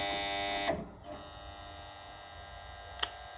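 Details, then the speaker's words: Pump panel motor contactor drawing 9.6 A gives a harsh electrical buzz, then a quieter steady hum persisting after cleaning; dirt inside the contactor suspected. "Pislik kaçtığı için ses geliyor. Bunu temizlememiz lazım."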